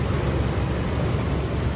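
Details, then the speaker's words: 2008 Ford Explorer, 4.0L SOHC V6, running at idle, hood open: heavy, loud, rough and uneven low rumble; owner says it usually idles this loud, cause unclear. "have my Earbuds in right now just so you can hear how loud this thing usually idles. I get used to it, but I'll put them back in a second so the microphone quality's back up."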